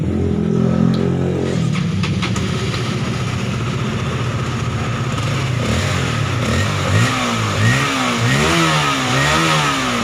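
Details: Fuel-injected motorcycle that starts stumbling again minutes after a fuel pump replacement, now run at about 48 fuel pressure: revs rise and fall unevenly with a ragged, stuttering note; engine stumble.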